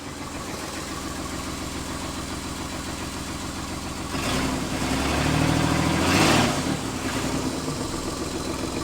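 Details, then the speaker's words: Nissan Z31 V6 idling after reconnecting ignition during a coolant pressure test: uneven, lumpy idle stumbling through a throttle blip; misfire caused by spark plug wires 4 and 6 being swapped. "not firing oh my god that'll make it easy to work on this thing idiot you got the wires mixed up"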